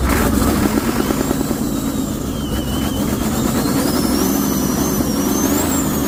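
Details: Cold Ford 6.9 IDI turbo diesel with no compression, fed starting fluid: uneven chugging at about three beats a second, stumbling rhythm; rough running, suspected internal failure.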